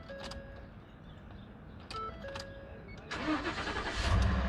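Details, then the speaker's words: Ford F-150 crank-no-start after replacing blown fuse no. 20 feeding fuel pump module: after a quiet pause engine fires at once around three seconds and runs up cleanly; normal start, fuse was the fault. "Boom! Start. Fuse lang pala guys. Fuse lang. Start na guys."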